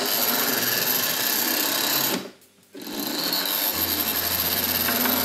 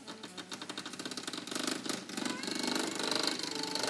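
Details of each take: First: Hornby R.084 Class 29 diesel model locomotive (1978-79), heavily weighted, on the controller switched from half wave to full wave: high, steady buzzing whir at full speed, briefly cutting out then resuming evenly; motor running normally and smoothly. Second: Hornby R.084 Class 29 model diesel locomotive (1978-79) motor after cleaning, running on half-wave power: small motor buzzing in quick even pulses about eight a second with a dry creak riding on it.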